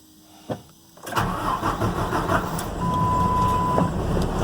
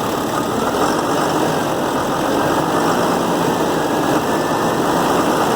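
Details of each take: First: 2007 Ford F750 with 5.9 Cummins diesel, six-speed manual, check engine light: cranks, fires and rough idles with irregular knocking lope; scanner flagged number four injector, replaced. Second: 2007 Ford F750 with 5.9 Cummins diesel and six-speed manual, idling with a steady, even clatter and no misses after replacing the number four injector that caused a rough idle and check engine light.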